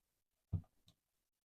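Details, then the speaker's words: Mercedes W172 (same fix applies to W204/W207/W212) with the failed electronic steering lock replaced by a programmed emulator: key inserted in the ignition switch gives one firm click then a fainter one, light green. The emulator is working. "So this time, when we put the key in the electronic ignition switch, we hear the sound from the emulator and the light is green. And as we turn the ignition switch, it stays green."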